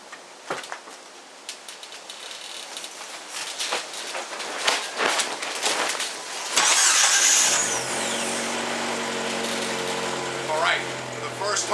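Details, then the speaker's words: 1998 Jeep TJ after starter replacement with a remanufactured starter: brisk, even, strong cranking for a couple of turns, then the engine catches cleanly and settles to a steady idle. "you heard it you know couple cranks - real nice strong crank"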